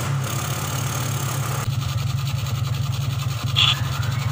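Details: 2003 Suzuki Smash 110 after swapping in an original regulator/rectifier (kiprok): small single idles with uneven, stumbling beat and dropouts; still misfiring, test pen dim, charging still weak, cause not yet found.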